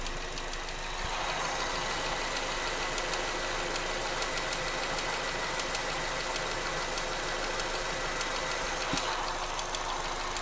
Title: Astra GTC 2014 engine ticking noise